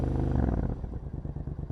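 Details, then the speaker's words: Triumph Scrambler 900, warm engine, with the fast-idle lever pushed in one click: revs drop from a fast race to a low, even putter of about eleven pulses a second. Normal idle. "and then that is how the bike should be running uh and again it's just literally just to get this bike up to its operating temperature"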